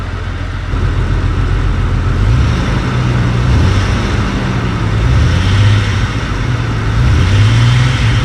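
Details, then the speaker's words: Jeep XJ on its first start after a cylinder head job: low rumble with a loping, uneven beat at idle and while revving; the OBD2 reader showed a cylinder 6 misfire with a cylinder 6 injector open circuit code. "It was at that very moment that I started to realize that it was misfiring. Sure enough, plugged in my OBD2 reader, cylinder 6 was misfiring, and eventually it said that it had a cylinder 6 injector open circuit."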